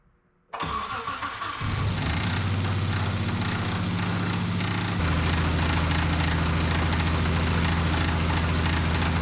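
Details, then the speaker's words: Petrol engine started after reassembly for suspected catastrophic lifter failure; cranks, catches and idles with an intermittent knock that sometimes goes almost quiet; owner doubts it is rod knock and suspects something else. "So this is what it sounds like after. If you guys notice, there's a couple times to where it kind of stays quiet almost."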